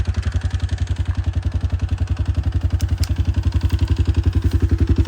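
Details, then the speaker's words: Combine during wheat harvest, just after engaging four-wheel drive when stuck on a log: hard, very even thumping near four beats a second with a loose clattery edge; engine rattling, and it then appears to overheat, owner suspects low coolant or a plugged radiator. "Alrighty. Geez, that rattles."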